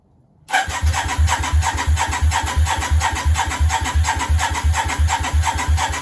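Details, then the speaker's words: Yamaha Virago 535 start attempt on the starter button, with spark confirmed earlier: engine turns over evenly at about three beats a second for six seconds but never fires; strong fuel smell, owner suspects too much fuel. "not quite maybe too much fuel [Laughter] definitely smells a lot fuel we had spark earlier just turning over"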